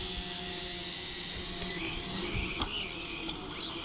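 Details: SG900 GPS drone in flight makes a thin, steady high whine under a constant hiss. A propeller problem is found, with the prop apparently slipping on its gear.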